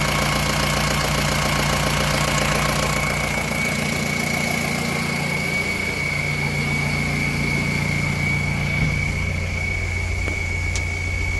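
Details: Mahindra Roxor diesel, first start after changing the fuel filter: it catches quickly and settles into a steady, even idle with a faint constant whine; runs clean, no misses or knocks. Normal diesel idle.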